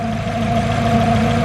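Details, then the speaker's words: Turbocharged Honda CR-V at idle: steady engine idle with a constant mid-pitched hum riding over it; owner suspects the timing belt, which looks a little tight, but the cause is unconfirmed. "I'm sure some I don't know if you guys can hear that humming. I don't know if that's just the timing belt."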